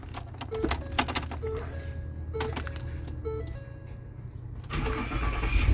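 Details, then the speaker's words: 2010 Ford F150 5.4L Triton V8 after replacing the starter motor: starter cranks briefly, the engine catches and settles into a steady idle with no grinding or clicking; normal start, new starter works. "Okay, it cranked and it sounds good, so I guess it works."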